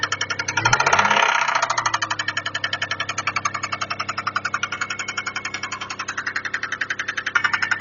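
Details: Toyota 1MZ-FE engine idling with a sharp, steady metallic knock about three to four per second; owner suspects a bearing shell or valves, unconfirmed.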